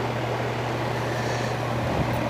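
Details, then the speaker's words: Air conditioner with a no-cooling complaint: the outdoor fan runs with a steady hum but the compressor doesn't start. A failed capacitor was later found. "Looks like we got the fan on. Okay, doesn't seem like we got compressor."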